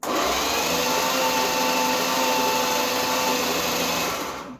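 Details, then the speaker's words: 1966 Chrysler New Yorker parked 18 years, after swapping old dead battery for another; steady brisk whirring crank, even pace, no dragging, healthy cranking speed; weak spark found afterward, points suspected. "Yeah, that's faster. That's fine."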